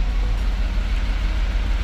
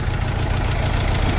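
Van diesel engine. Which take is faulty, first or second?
second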